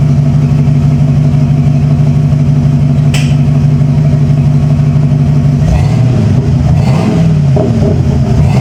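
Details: 1995 Ford F-150 V8 barn find: after a jump start it stumbles briefly, then an even V8 burble holds steady and picks up cleanly on the throttle with no stumble or miss.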